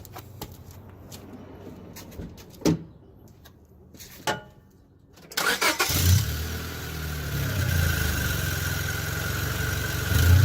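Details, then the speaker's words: Car with the O2 sensor ripped out after running over a cat, leaving an open exhaust leak hole: after quiet clicks the engine starts with a loud, raspy, puffing, high-pitched farting exhaust note. "see yeah obviously that leaf sounds disgusting and nasty makes my car literally sound like like someone's high-pitched farting as I Drive down the road"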